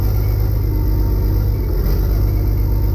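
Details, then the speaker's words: Worn-out Perkins 6354 turbo diesel, after oil-leak fixes and a cooling-system bypass, run through neutral, forward and reverse: deep even rumble, no knocks, faint turbo spooling; sounds not bad, water smoke. "That doesn't sound that bad at all, does it? No. You can hear that turbo spooling up as well."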